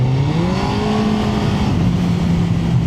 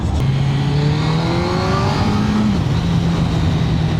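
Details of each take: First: Suzuki GSX-R1000 K1 opened up on pre-MOT ride: engine note climbs sharply then holds a flat drone as revs flare; owner suspects clutch slipping, unconfirmed. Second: Suzuki GSX-R1000 K1 with stock exhaust on the road: clean engine note climbing smoothly through the gears over wind noise, pulls strongly with no misfire or rattle; normal acceleration, stock exhaust sounds good.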